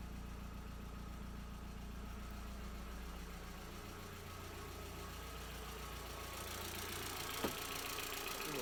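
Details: MK4 Jetta 1.8T idling after blown head gasket repair with replacement head, new timing belt, water pump, thermostat and temp sensor; quiet steady idle, even low thrum, faint constant whine, no knock or misfire; smoke, owner suspects valve cover leak.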